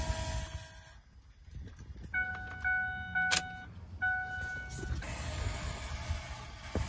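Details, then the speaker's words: 2008 Ford F250 6.4 Powerstroke diesel with a crank-no-start: after fitting a new frame-mounted fuel pump, key-on gives a steady electric hum for a few seconds over background clatter as the pump primes normally. "and as soon as you're done go ahead and put the key on and you should be able to hear"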